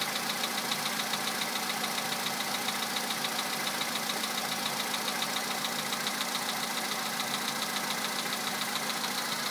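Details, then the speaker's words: 2011 VW Polo Sedan, 64,000 km, Liqui Moly Molygen 5W-40 changed 200 km ago and filled to max, 98-octane petrol, cold start at +2°C: steady sharp ticking knock about 3.5 beats a second over idle; source unknown, knock lasts longer as mileage grows. "вот неприятный стук. Уже задолбал."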